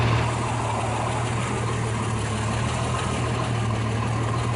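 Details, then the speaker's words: 1989 Jeep Cherokee 4.0L I6 Renix, first start after overhaul with new headers and pulley problem fixed: smooth even low idle, no knocks, ticks, squeals or skipping; exhaust sounds normal. "how's the exhaust sound does that sound normal or something yeah but what's it sound like does it doesn't sound like sounds normal okay so it doesn't sound like it's skipping"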